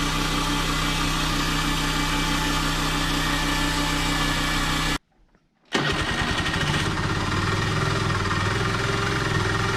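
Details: Honda Dio AF62 scooter engine, worn out and awaiting overhaul, deliberately run with no oil in it: rough uneven idle with dull rattling beat and a short cut-out; worn engine run without oil.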